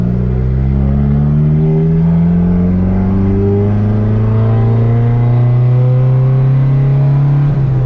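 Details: Turbo Honda Civic with fresh built D16 single cam on road test after ignition fixes: engine pulls cleanly, note rising smoothly without stumble; no longer cutting out at any rpm, though logged rpm still scattered; OEM distributor may be tried.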